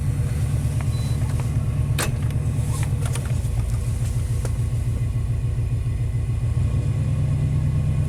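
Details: '91 Chevy K1500 V8 at cold start in open loop, everything hooked up: deep, uneven loping idle rumble, running rough and down on power; cause not yet found after other options exhausted, possibly timing off a tooth.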